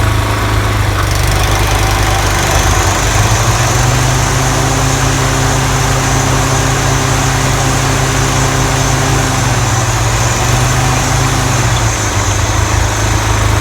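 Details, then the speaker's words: Toro TimeMaster 30in mower after replacing the spindle lower ball bearings and setting deck belt tension: steady engine drone, smooth low deck hum, no rubbing or scraping; earlier loud deck noise and blade engagement problem repaired, normal running. "great we have repaired the issue with the mower unusual loud noises and problems with the blade engagement"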